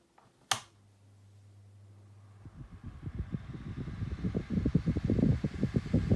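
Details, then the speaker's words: 2000s Tesco DF96 9-inch desk fan, bought new in box, switched on at low speed; click then motor spins up into steady building air rush with soft blade pulsing; normal low-speed running. "quite powerful these do always seem to be quite powerful fans"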